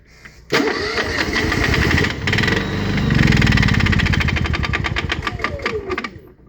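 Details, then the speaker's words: Honda EU7000is generator with start-then-stall problem, rerun after reducing overfull oil, possibly fuel-diluted, side panels open, eco throttle toggled: runs rough with uneven ticking slap, then stalls; cause suspected, not confirmed. "there is quite a click man or a slap or something"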